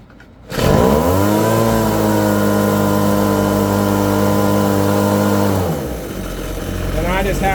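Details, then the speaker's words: PB-250 two-stroke blower after carburetor, air filter and spark plug replacement, mixture set slightly rich: steady, even idle with the throttle holder off, no hunting or stumbling, settling cleanly after full throttle; normal idle. "it the throttle holder is off and it's idling fine by itself where I can go full throttle and then back on to idle. Seems to be running fine."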